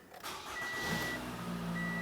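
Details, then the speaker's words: 2014 Toyota Camry after fuel pump module replacement, key cycled to prime the pump: brief crank then the engine catches at once and settles into a steady, even idle; clean, healthy start. "starts right up"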